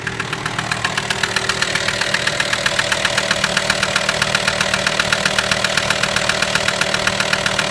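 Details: VW T5 AXD diesel at steady idle: a sharp, even metallic tick about four times a second over the diesel clatter. The knock is unexplained and its cause has not yet been found.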